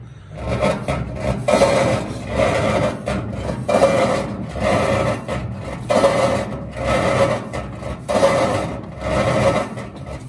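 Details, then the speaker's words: GE washer filled with water, washing: dry rasping scrape from underneath in bursts about once a second with each agitator stroke; not the transmission, the pulley is rubbing the sagging bottom plate. "ahora no es problema de transmisión los problemas básicamente la polea la que está pegando la lámina de abajo"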